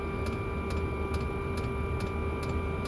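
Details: Chinese diesel air heater (Webasto-style) set to full power: crisp, even ticks two to three per second over a steady fan hum. The dosing pump is running normally.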